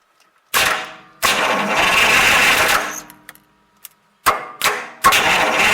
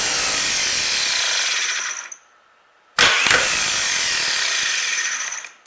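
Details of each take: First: 1938 Buick Special straight-eight no-crank, starter bridged directly at the solenoid from the battery: three strong bursts of free-spinning cranking; switch, battery and starter are good, so wiring is suspected, with the negative battery cable checked next. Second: 1938 Buick Special starter motor, bench-run for a no-crank: two short runs of harsh, rattling high whine winding down; owner suspects bearings or bushing, and the brushes are worn nearly away.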